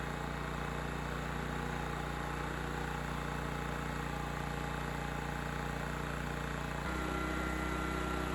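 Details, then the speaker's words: Honda EX1000 1 kW petrol suitcase generator, said not working, started after simply adding fuel and adjusting choke, tested with 350 W motor load: even steady small-engine drone, slight shift near end, no hunting or surging; running normally. "well that's a success so what did i do i put fuel in it and it went and i was told it wasn't working"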